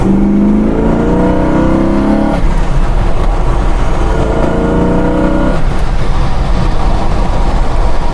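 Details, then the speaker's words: 1964 Pontiac GTO, freshly rebuilt 400-cubic-inch engine with tri-power carbs, accelerating through upshifts: the note climbs smoothly and drops cleanly at each shift, with strong induction roar and no knocks or misses; temperatures and oil pressure normal. "This goes well. It's a different feel. Some of it could be in the transmission and the rear, the way it pulls. Yeah. But that induction noise is just the best."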